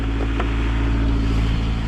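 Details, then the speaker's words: 2000 Honda CR-V, 170,000 miles, theft recovery, cold day, nearly out of fuel: steady low idle hum with an even, unchanging note, no ticking, knocking or misses, little smoke (likely condensation); normal idle. "actually sounds really healthy don't see much smoke that's probably just condensation from it being cold outside but yeah man this thing is running smooth"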